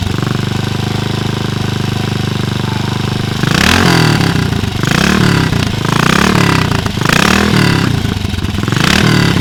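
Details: BSA 441 Victor single-cylinder with a Mikuni carb, after the float bowl was removed to clean a suspected clogged pilot circuit: steady thumping idle with about five crisp throttle blips rising and falling cleanly. Normal running.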